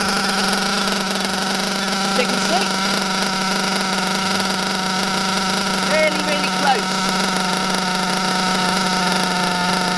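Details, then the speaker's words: Bio Hyper 7 nitro buggy with a Mach 28 engine: the high-speed needle is turned counterclockwise to a very rich setting. A steady droning whine holds one pitch with no crisp revving; the buggy is sluggish (35–40 mph expected) and puts out heavy blue exhaust smoke. "that is a very very rich very very rich okay so for me as you saw there it had a lot of blue exhaust smoke"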